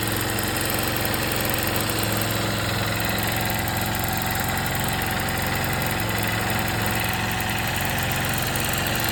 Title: 2024 Xr150l rattle/ticking sound what’s going on here